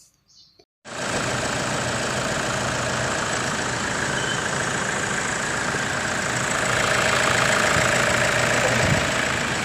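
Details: Toyota Hilux whose no-start, no-aircon and no-power-window fault was traced to a fuse and ground: the engine catches at once and settles into a steady, even, normal idle with no stumbling.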